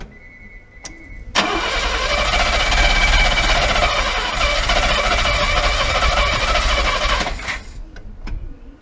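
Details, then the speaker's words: Mercedes W114 freshened engine, first start after reconnecting fuel pump wire: catches after cranking, runs raggedly about six seconds then dies; good oil pressure, no funny noises, cause not pinned down, timing unchecked. "It's sort of running. Water's running, it's got good oil pressure. Yeah. It's not making any funny noises, but it's just running like shit."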